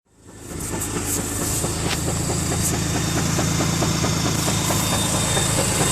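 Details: 2004 UK-spec Mazda RX-8 231 PS manual rotary engine runs with a sharp, regular rattling knock about two a second over its steady drone; the rattle developed within the first week of ownership, owner wonders about the SSV or a bearing, cause unconfirmed.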